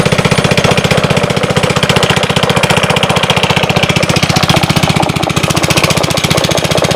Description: 1_13_2015, 5 5 HP Briggs and Stratton, Intek, First Start after Carb clean, it sounds good, no bad noises from engine, carb seems to function properly